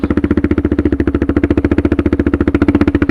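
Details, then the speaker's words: Suzuki DR650 with a Procycle jet kit (150 main jet), DGV2 slip-on and stock header, crawling at about 1–2 mph up a sandy hill on barely any throttle. Even, steady thumping near 3.5 beats a second with no misses; it pulls smoothly where stock jetting couldn't. "Hear it just pulling. I'm barely even on the throttle, guys."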